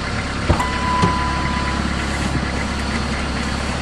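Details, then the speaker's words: Diesel-converted Caravan with a turbo, after injection pump reassembly without marking the throttle shaft synchronization line: even, steady low diesel clatter at idle, no misses or knocks, a couple of handling thumps; seems synchronized, runs normal. "so when I put it back together well I must have got lucky somehow because it seems to be synchronized and seems to run normal"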